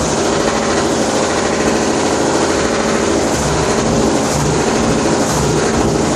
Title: #3 Washer Loud noise about to explode